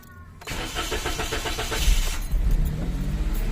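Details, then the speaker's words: Toyota Wigo with the purge valve missing or unplugged (check engine expected). The starter cranks steadily for nearly two seconds before the engine catches, slow to bite, then it runs at a high idle. "Matagal kumagat. Naka-on ang 80. Yan. Mataas ang idle, walang purge valve."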